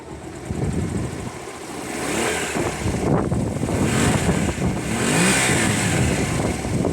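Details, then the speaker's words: Honda CB250 café racer, idle adjustment cut off: single rev blip settling cleanly with even firing and no knocks or misses; sounds healthy, though it idles a bit low and won't idle easily. "It sounds healthy to me, guys. It's not going to idle easily, it's a bit low."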